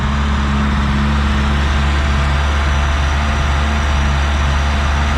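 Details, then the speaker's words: 1984 Chevrolet Chevette 1.6 L four-cylinder with new battery, front-end collision damage: steady low idle hum with even, unbroken pulse and no ticks or knocks. Normal smooth idle; runs very well. "Good runner though, fires right up. Runs very, very well."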